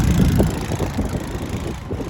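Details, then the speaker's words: Apollo Blazer 9 125cc ATV, about three years old, never serviced, revived after no-start and bogging: short stretch of smooth, even low-pitched idle with no stumbling or bogging; normal idle. "you can see it's a running in excellent condition"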